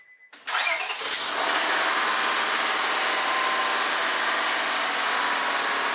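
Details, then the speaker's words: Honda/Acura J-series V6 started after a fuel pressure regulator replacement: it settles to idle under a loud, constant airy hiss, a vacuum leak from a line to the intake manifold left disconnected. "why is it sound like that a that sounds like a vacuum leak so I obviously forgot to hook up something"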